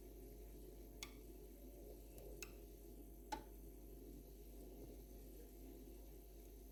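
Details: Two-year-old Atlant refrigerator constantly creaks, cracks and clicks while the compressor runs, since new; low compressor hum with irregular sharp clicks and cracks, cause unclear, nothing done under warranty.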